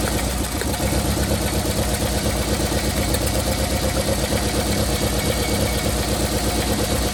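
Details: 1990 Toyota Corolla LE sedan, 4A-FE petrol engine, idling with an uneven, lumpy misfire caused by a blown head gasket.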